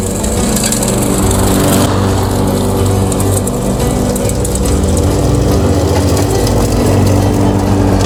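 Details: Mastercraft lawnmower, replacement engine installed and repair finished, restarted still warm: steady, even engine drone at constant speed with no misses, knocks or surging; normal healthy running.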